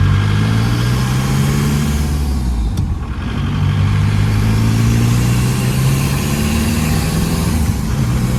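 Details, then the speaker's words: Diesel engine after head rework, on a long hard drive: steady pull under load with road and wind noise and no rhythmic knock; some blow-by remains but no cooling-system pressure; normal running, knock gone. "Well, she's got some blow by, but she's not knocking anymore."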